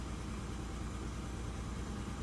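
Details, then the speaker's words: Lowered car on coilovers, stock exhaust except a high-flow cat, about 118,000 on the odometer. It idles low with an uneven, stumbling beat and visible vibration. Misfire and rough running, cause unknown. "it's not running the best um I I don't know why it's running like total [ __ ] I mean it sounds good but it's just it's running rough you can see as there's a vibration in here"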